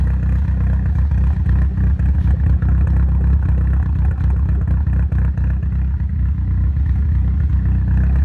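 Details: Nissan Silvia S15 idling rough with a deep, uneven, lumpy, stumbling beat and some clatter; it started after the engine was removed and reinstalled for a full respray. The car ran perfectly before, and the cause is not yet found.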